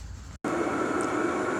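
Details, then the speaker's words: Cheap Chinese 12V diesel heater in a shed, running after the exhaust fitting was swapped around: a steady, even roar and blower hum with no surging or popping. It gives good heat and burns normally, though quite noisy. "so that's her up and running eye um getting really good heat off of it pretty happy with it uh especially for the price you know um and it's going to be reliable it is quite noisy I'm not going to lie"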